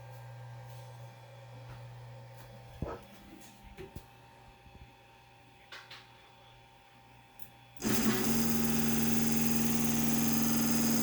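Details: Brand new Creality Ender 5 Plus 3D printer: quiet room hum, then sudden loud buzzy whirr with steady droning tone as X and Y axes move; cause under investigation with support for two weeks.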